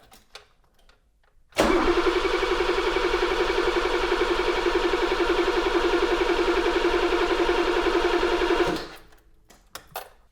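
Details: 1982 BMW E24 635 CSI, M30 3.5 L inline six, manual, during restoration, after rewiring cut cables and reconnecting the battery: starter spins the engine at roughly 220 a minute for seven seconds, never catching.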